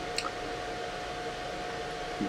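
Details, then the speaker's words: Newly installed 140 CFM PC fan running: a steady loud rush of air with a thin constant whine, like a hair dryer. Loud high-airflow fan noise. "fazendo muito ruído certo então continuando aqui né então tá fazendo esse ruído e eu vou ter que colocar uma coisa mais silenciosa né"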